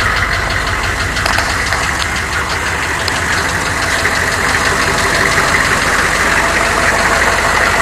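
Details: 1993 Chevy dually 6.5L turbo diesel 4x4, cold start without block heater then revving: loud diesel clatter with a rough, somewhat uneven knock about three times a second underneath; engine knock of unknown cause.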